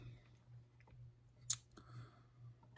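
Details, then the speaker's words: Fuel injector from a fuel-injected 2010 Husaberg enduro dirt bike, after ultrasonic cleaning, pulsed briefly with a 9-volt battery in a quiet room. A few crisp, separate clicks as the solenoid snaps open cleanly; a normal injector solenoid click. "just uh using the nine volt battery to activate the solenoid to open it up"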